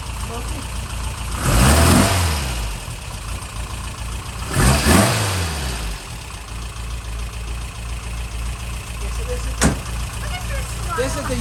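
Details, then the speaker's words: Freshened real Porsche flat-four in a Speedster replica, started on the second try, with fuel pressure checked at 2 lb; it cranks, catches and settles into a steady, even idle with a couple of blips. "usual Tom cson deal you turn the key and it runs like this"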